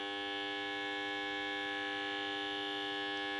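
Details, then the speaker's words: UNION AUER Unalux 681 street lantern (1970–1977), 125W mercury (BF) lamp, E27, 220V 50Hz, ferromagnetic ballast with capacitor, just plugged in: loud, harsh, steady buzz while the lamp warms up; normal magnetic ballast noise. "Donc, c'est branché comme ça. 1, 2, 3. Waouh! Oh, le bruit que ça fait!"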